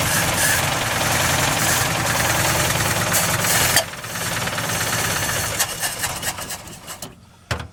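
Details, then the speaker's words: 1955 Ford F250 engine, locked up after 30 years sitting, first run after fuel and spark work (weak spark, old fuel still in the system, carburetor and float suspect): uneven chugging at about two beats a second, faltering near four seconds, then sputtering and dying. "Well, I'm going to call that a win. After 30 years of sitting in a bunch of trees, neglected, engine was locked up, in a matter of, it's been about a week, yeah, since we drug it home. It just ran."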